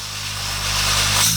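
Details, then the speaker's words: New refrigeration compressor on an inverter tester, spun up to maximum speed with discharge blocked by hand; steady low hum with rising hiss, pressure can't be held: good compression, healthy. "É um compressor novo, portanto eu sei que ele tá com compressão."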